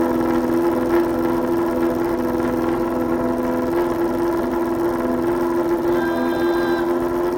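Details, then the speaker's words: Restored Yamaha Fazer 600 four-cylinder on its first run in 2.5 years, no air filter, open carburettors, float leak just fixed. Loud, raspy drone holding a fairly steady note with a slightly uneven edge. Rough running, likely untuned carbs. "That was the first rev in 2.5 years. Oh, you beautiful thing. That was loud."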